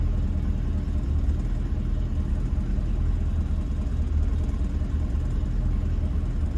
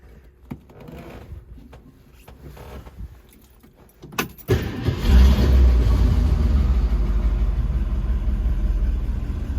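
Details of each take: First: 1966 Ford Mustang convertible after a choke/high-idle fix, restarted with three pedal pumps. A low, even rumble held steady in gear with no stumble, hunting or surging; the idle is smooth and much improved. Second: 1966 Ford Mustang convertible cold start with only one accelerator pump stroke: starter cranks, engine catches into a loud, lumpy run but won't keep going; insufficient accelerator pump priming. Two pumps later fire it right up.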